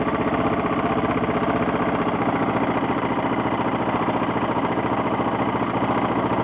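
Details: 1992 Yamaha XT600E (3TB) single-cylinder at steady idle: light repetitive tapping on each firing beat; owner asks what the strange ticking noise is, cause unknown.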